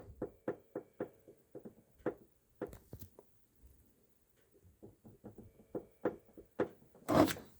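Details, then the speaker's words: VW ID.4 rear wheel arch and boot area, touched by hand: light hollow knocks in uneven bursts with no motor noise; loose panoramic sunroof drain tubes rattling, right side worse, fix is securing the drains. "Если кого-то беспокоит стук со стороны задних колёсных арок или в багажнике, смело можете разбирать и укреплять дренажи панорамной крыши."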